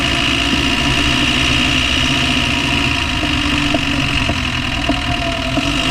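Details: Land Rover Discovery 1 300Tdi diesel idling with a sharp, light knock about every half second, unevenly spaced over the clatter; knocking noise of unknown cause, owner asks what it is.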